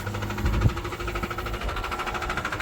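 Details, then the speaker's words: Subaru engine at steady idle with a quick, regular knock several times a second over the low rumble; rod knock suspected, not confirmed. "Average Subaru, baby. I'm ready for the rod to hit the camera."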